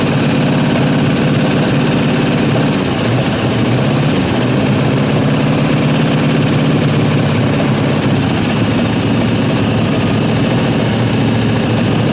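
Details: 1974 International 200 two-wheel-drive pickup V8, sat about 25 years with a formerly stuck engine, first run at idle: loud rough idle with fast light tapping keeping pace with engine speed; typical International lifter tick, lifters suspected dry from sitting.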